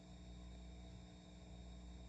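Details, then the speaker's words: 6J1 tube preamp kit with a capacitor multiplier, a buck converter making 56 V and 12.6 V heaters, at full volume: only a faint low hum and soft hiss. Supply ripple is well filtered, unlike the noisy wall supply. "If there's anything there, it's very little."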